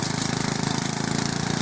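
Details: Westwood garden tractor's 11 hp Briggs and Stratton single pulling hard through willow in the orchard after repair: fast even putter, no misses, knocks or surging; running healthy under load.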